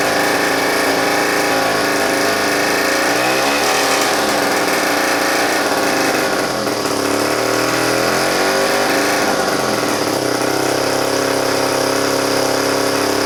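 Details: 1961–65 Schnake mid-jet water-jet outboard, Tecumseh two-stroke air-cooled, about 2–3 hp: loud buzzy note holding steady with small pitch shifts as throttle settles; fires evenly and runs healthy.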